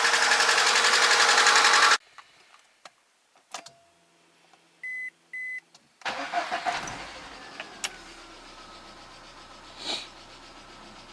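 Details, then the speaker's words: VAZ 124 16-valve engine (2110-12/Priora) after a head rebuild with new oil and filter, coolant at 63°C: engine runs with a light, steady knock over the idle; cause not found. "Так, стук и есть. Температура 63."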